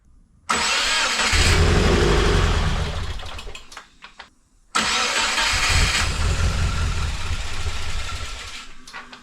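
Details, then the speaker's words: 2016 Subaru WRX auction car, mass air flow sensor plugged back in: engine cranks, catches, runs briefly then dies and fades again on restart; air was being sucked in after the MAF via the blow-off valve port, unmetered, now blocked off. "It was definitely sucking in air through here, which it shouldn't have been, which is after the mass air flow sensor, and that will make it act like it's getting air that is not being picked up by the sensor."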